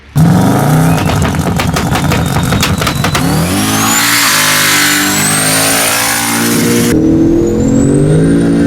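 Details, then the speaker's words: Turbocharged 5.3 V8 Colorado (1000+ hp build), aluminum block, developed a knock, now worse after hard abuse; sharp repeated knocks at low revs get buried as it revs hard; engine knock. "But yeah, dude was beating the immortal hell out of this thing. Somehow it's still alive, but the knock is worse."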